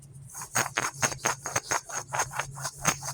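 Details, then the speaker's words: 2007 Subaru Legacy 2.5L old rear wheel bearing, spun by hand with the microphone held close before replacement: gritty, rasping rumble repeating about every two-thirds of a second. The bearing is worn. "So that's that old wheel bearing. I'm gonna bring it in real close."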